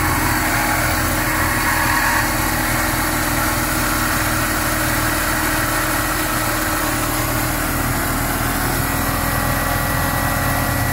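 A thin, steady high-pitched squeal rides over an even idle and holds throughout; the source is still unidentified.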